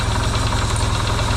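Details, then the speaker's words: Yamaha XS650 twin refitted to the bike frame, first start after work to cure oil burning: a deep, steady thumping idle with even low pulses, quiet with no pinging, though smoking, hoped to be break-in. "that's pretty cool nice and quiet not a lot of pings and bangs"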